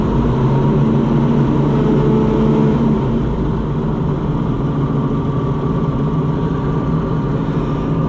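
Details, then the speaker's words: Oliver 525 combine restarted after the separator belt failed: starts right up, smooth even low hum with constant note, no misses or knocks. Normal idle. "Listen to that sweetheart just start right back up."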